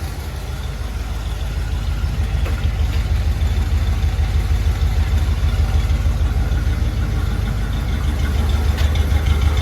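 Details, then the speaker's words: Chevy C30 square body Mason dump V8, revived after an under-hood fire, timing not yet set, door open: deep, even rumble with a steady lope, no knocks or misses, purring smoothly at idle. "Open up the door. Yeah. Listen to that thing purr. Come on now."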